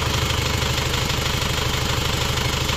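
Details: Isuzu Panther double-cabin diesel idling after overhaul, after replacing the leaking copper injector nozzle ring that had caused a hissing sound; even rhythmic clatter, no hiss or puffing, smooth healthy idle.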